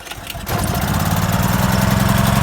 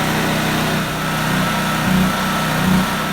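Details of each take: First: Portable generator, cold, dead battery so pull-started: short pull, catches at once and settles into steady low chug on choke; normal cold start. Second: Portable generator with fuel valve shut, running on high to empty carburetor before storage: surges and sags in uneven pulses about three times a second, then stalls; fuel starvation.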